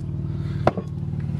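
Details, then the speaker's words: Jeep, heard inside the cabin at idle: a loud, fast, low putter with a single clatter and slight popping. The exhaust is open and needs a muffler; the engine runs and shifts fine. "and the inside looks good you can hear it's just loud inside here just kind of pop"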